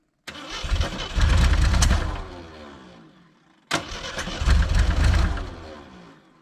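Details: 1980 Jeep with 258 inline-six, sitting 20 years: twice it cranks, catches about a second on a temporary source, then winds down to silence; stalls because the ignition coil lacks its proper connection.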